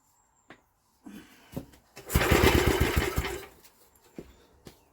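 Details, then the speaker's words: Old Villiers engine refitted to its machine, primed with petrol down the plug hole, choke off: a short burst of pull-start cranking with rapid chuffs, no spark and no firing; cranks but won't start. "not even getting a spark are we we're not even getting a fart I thought she might have at least farted on us but so far no far"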